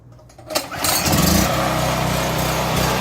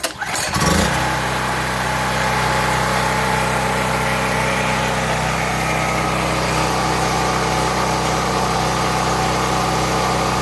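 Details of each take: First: A small generator engine runs rough and surges up and down, recorded before repair. The owner believes a dirty carburetor is the cause and plans to clean it. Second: Small generator after carburetor cleaning and idle adjustment to cure surging starts and runs at a steady, even speed with no surging, then shuts down; works much better.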